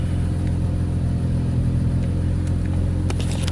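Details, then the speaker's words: Infiniti Q50 after AMS fuel pump install, slightly rough at start: steady deep hum with slight rev, no knocks, rattles or whine; normal running. "far so good don't hear or see anything abnormal"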